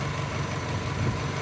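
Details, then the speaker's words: 1995 Subaru Legacy LS wagon, recently back in use after sitting nearly 3 years: smooth, even low hum with no misses, knocks or ticks; engine idles cleanly and runs nice and smooth. "But as you can hear, the engine runs nice and smooth."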